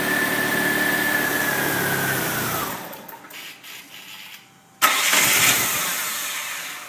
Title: Talon hard starting